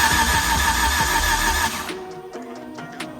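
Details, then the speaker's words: Suzuki Samurai with a swapped 1.6L 16-valve engine and push-button start: it cranks steadily without catching; no fuel arrives. "oh yeah I can hear it all right yeah our fuel pump's going I know okay we're not getting fuel um hear the fuel pump running but not getting fuel"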